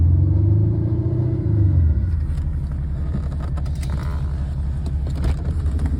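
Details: BMW 330d F30 diesel, cold engine at idle: heavy low rumble with rough, uneven pulsing; abnormal engine noise when cold, cause unclear.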